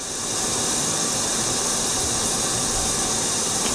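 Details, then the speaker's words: Late-1970s (77–79) 350 two-bolt-main engine that sat 10 years, engine off, during a leak-down test with transmission fluid added to seal the rings: a steady air hiss as this cylinder holds only 45% (cylinder 2 held 72%), leaking past the piston rings. The owner doubts it was truly rebuilt. "this one's only wanting to hold at 45. so leak Downs tests all over the place uh I don't know how I feel about that"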